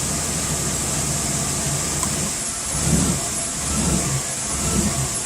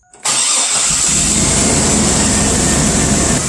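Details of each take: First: 2001 Chevy Blazer petrol engine idling about 700 rpm, then mass airflow sensor unplugged as a test: rough idle surging about once a second, pointing to the MAF sensor; to be cleaned, else replaced. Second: 2001 Chevy Blazer petrol engine with the mass airflow sensor unplugged: smooth, steady idle around 700 rpm. Plugging the MAF back in brings a real rough idle, so the MAF is faulty.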